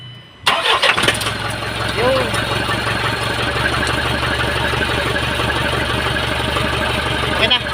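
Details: 4HL1 diesel after a cranks-but-won't-start repair, bled by pumping at the injection pump screw: a brief crank, then it catches at once and settles into an even, steady idle clatter, starting and running fine.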